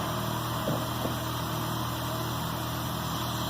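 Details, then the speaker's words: K24-swapped Honda Insight on Speeduino, after valve adjustment: steady, settled idle with clean low rumble, no valve tick or misfire; previous tick gone, normal idle. "So there we go. We got her running again. Seems like everything's okay. Sounds good. The tick is gone, so my valve adjustment works."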